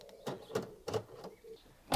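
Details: VW Golf Mk4 GTI electric folding wing mirror: short whirring bursts at irregular intervals, each under a quarter second; fold motor spins but mirror never moves. Linkages or a loose battery connection suspected, not confirmed.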